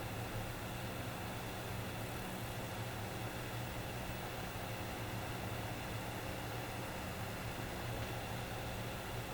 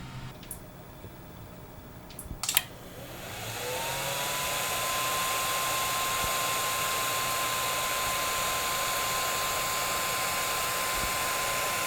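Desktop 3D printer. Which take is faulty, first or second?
second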